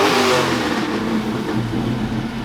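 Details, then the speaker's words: Fox-body Mustang V8 after getting all eight cylinders firing again: strong, smooth rev rising and falling cleanly with no stumble or lope; all eight cylinders firing, fixed. "fixed it oh good holy crap that thing is spicy heck yeah"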